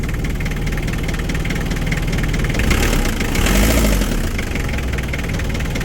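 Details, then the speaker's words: 4D56 diesel, noisy at start before a roughly one-hour repair (general overhaul mentioned), now in neutral with throttle blipped: even idle clatter with a brief rev rise, no heavy knock; quiet and healthy. "Oh, tahimik na oh. Ayan, ganoon lang mga guys."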